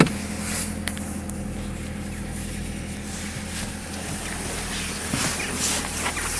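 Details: Chevrolet Cruze engine, cold start. Steady cold idle with a thin metallic ringing that disappears after about a minute of running; no noise at 0 °C and above; cause not pinned down: cold start ringing noise.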